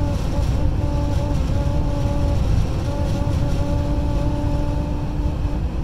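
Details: Honda Ridgeline while driving: a steady mid-pitched buzz drones over low road rumble, caused by wind over the truck; wind-induced buzzing.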